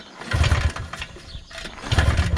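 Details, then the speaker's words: 1980s Polaris 250cc two-stroke ATV after sitting for years, compression test with key off and throttle wide open: two brisk pull-starter strokes of even chuffs with solid resistance. Reads about 135 psi, enough to run. "Yeah, we're already at like 135. So 135 lbs of compression. and it's definitely able to run on that."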